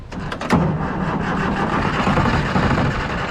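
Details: Old military mega truck unmoved over 9 years, fuel pump on, ether sprayed in while cranking: starter turns it over with a few catches that die without running. Fuel starvation; needs more ether.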